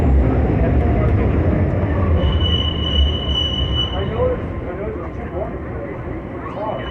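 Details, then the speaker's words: Original 52-year-old BART legacy train slowing into 19th Street station in the subway tunnel: steady high screech for about a second and a half over low wheel and track rumble; squealing brakes. "and you can hear the squeaky BL breaks on the scene they're very very loud shows again shows the age of these trains"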